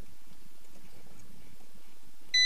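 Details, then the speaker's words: Motobecane Mobylette Cady vintage moped, coil wires removed, continuity tester across points and chassis while hand-turning engine: steady high beep as the ignition points close; timing off, points should open 2 mm before TDC. "So if I put this one into here and this one to the chassis, you can hear now that the points are closed."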